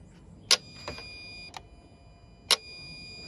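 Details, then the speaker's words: Citroen Dispatch van with intermittent lack of power, cutting out and engine warning light: EGR valve activation test from diagnostic scanner gives several sharp, crisp snaps, showing engine management commands reach the valve; fault still stored, valve may not open fully. "so that one is for the fott you can here it is snapping that that sounds all positive so the cand are being sent from the engine management module to the valves"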